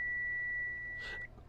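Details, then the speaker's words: Digital multimeter in continuity mode with the probes across both ends of a laptop motherboard inductor: a steady high beep for about a second, showing very low resistance. This is how a good inductor should test. "These ones you should you should be getting a very low resistance beep mode. You can hear my multimeter beeping."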